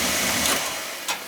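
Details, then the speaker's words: Oil-fired boiler, installed a couple of years ago, that ran out of oil: hissing burner roar surging and fading unevenly with sputtering puffs during purge; lots of air still in the oil line being bled. "Get the oil air out of it. There's really a lot of air in that sucker. A lot of air in there."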